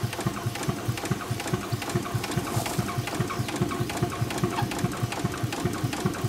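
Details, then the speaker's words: 4.5-inch scale model showman's traction engine on its first run of the year with low steam pressure: even steady chuff. A forward-gear squeak, possibly rust in the cylinder, stopped once lubricator oil circulated, and it now runs sweetly. "and in no time at all it was running quite sweetly"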